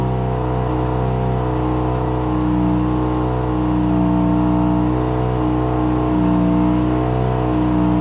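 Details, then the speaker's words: First start of a 13B turbo rotary in an RHD JDM FC3S RX-7; idle air control (BAC) not fully tuned, smoke from anti-seize burning off. Steady buzzing idle, even slightly lumpy pulse, no misses: normal idle, running much better. "So anyway, let me fire it up real quick again and show you it's working much better."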